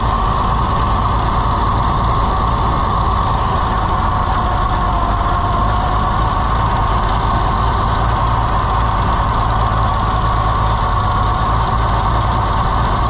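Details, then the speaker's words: Farmall IH 560 tractor that stopped running after the owner changed the timing, thought to be flooded before it started; a steady, loud idle with a low, uneven chuff breaking the rhythm. Suspected miss at idle; an exhaust-side crack was questioned, cause not confirmed. "Let's try to start it again. It just seems like it's got a miss, and I don't know."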